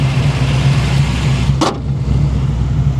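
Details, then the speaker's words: Chevrolet Monte Carlo SS V8 after new transmission and header leak repair, at idle; deep even burble with no exhaust ticking or puffing, one brief outside noise; healthy, header leaks gone. "hers like a kitten no more header leaks no leaks at all just runs out like an ABS absolute"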